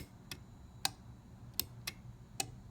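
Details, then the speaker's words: Defiant sunlight-adjusting digital timer, toggled manually on and off by pushing its door in: five crisp clicks at uneven intervals in a quiet room; the relay switches cleanly and normally. "the manual on and off, and you can hear it."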